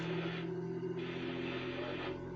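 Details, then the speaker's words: 3D printer on its first start-up, running its vibration compensation calibration: steady, layered humming tones with a soft rhythmic shuffle as the axes sweep; it sounds loud but is running the test normally. "Ah oui, ça avance. Bon, d'accord. Bah, compensation des vibrations, mais en attendant, ça vibre bien."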